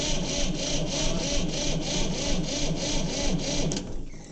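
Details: 1960 Massey Ferguson 200 diesel tractor, first start attempt in over 20 years after glow plug heating. Slow, even cranking at about three turns a second that never catches; cranks without starting.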